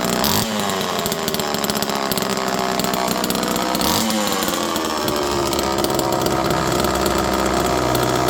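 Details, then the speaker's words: Second old Homelite Super Mini chainsaw in cold weather, jets around half to 1 turn, no choke. It runs steady and crisp with an even buzz and no stumbling or misfire; healthy. "I'm going to fire this up one more time. This thing runs perfect."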